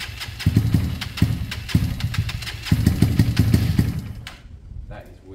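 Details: Kawasaki KSR GRS 125 with airbox and new spark plug, has compression and fuel: catches in uneven bursts, stumbling and dying rather than idling; misfiring, struggling start, owner suspects top-end problem, unconfirmed.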